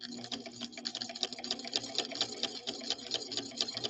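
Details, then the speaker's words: Swedish sewing machine running, mic very close: fast steady clatter with a repeating thump each stitch cycle; abnormal thumping, cause not yet found. "this is not how a Swedish beauty should sound not even close you hear that thumping sound that's not good"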